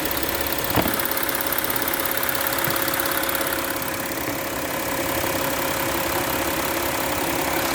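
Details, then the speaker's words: 2015 Porsche Cayenne Diesel at idle: steady idle with fine light ticking from injectors and high-pressure fuel pump, normal diesel noise, nothing wrong. "You can hear the injectors ticking. It's a different sound for those who aren't used to the uh you know the high pressure fuel pumps and whatnot."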